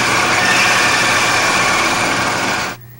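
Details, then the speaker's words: Brown & Sharpe automatic screw machine: harsh, rough buzzing from the cut that stops abruptly. Tool chatter, caused by vibration, leaving a rough, uneven part surface. "the sound you are hearing is chatter you must learn to recognize this sound as an indicator of trouble"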